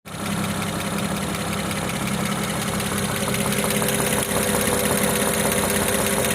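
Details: BMW 335i E92 with N54B30 engine at idle after 8 minutes of warm-up: light, fairly regular knock over a steady engine drone; no knock when cold; cause not yet traced.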